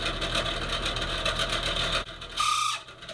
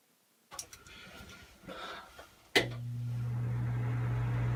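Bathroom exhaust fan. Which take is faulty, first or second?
first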